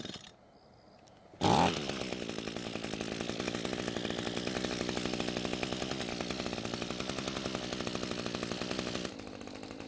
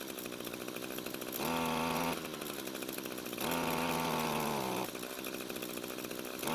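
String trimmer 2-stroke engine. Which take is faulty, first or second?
second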